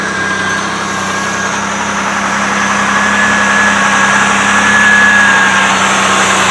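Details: Car idling after sitting nearly 3 weeks and a negative battery terminal swap, AC off, full tank: a steady, even idle with a smooth, regular pulse, no knocks, misses or squeals. Sounds healthy.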